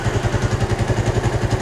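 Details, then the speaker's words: Suzuki Satria FU single-cylinder fitted with an RX King carburetor, kick-started after the swap: even, steady thumping at about twelve beats a second with no misses or hunting. Idle is stable and normal. "dan untuk hidupnya juga sangat gampang yes coba kita geber RPM saya untuk langsam juga stabil kita diamkan beberapa detik dulu kalau"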